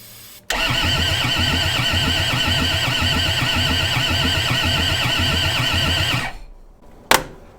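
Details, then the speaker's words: Kubota diesel engine on an old skid steer, cold snowy day, injectors just reinstalled and primed, ether tried: starter cranks in a steady chug about four beats a second for six seconds but turns over too slowly and never catches; glow plugs being checked. "no man in a tub hmm all right now it's turning over too slow all right these kubotas are really sensitive they like their glow plugs"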